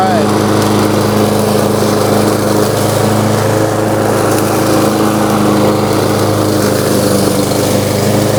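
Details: New Lowe's M230 163cc self-propelled lawnmower cutting tall grass in mulching mode at about a 3.5–4 inch height: steady, high buzzing drone holds speed without bogging or surging; engine pulls the cut fine.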